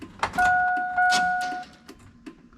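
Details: GM NBS Sierra/Silverado truck after a factory power window, lock and mirror swap, battery just hooked up: a steady electric whine for about a second, then clicks and light knocks as the window stops; power window operating normally.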